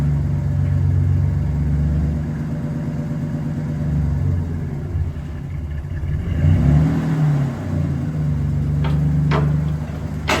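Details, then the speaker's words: Old truck engine, run after power steering fluid top-up and with injector cleaner added to 5 gallons of gas, chugs unevenly with a loose clattery beat and wavering revs, missing; rough running, owner suspects it needs a tune-up. "Before we drive, it's uh running pretty rough. It probably needs a tune-up."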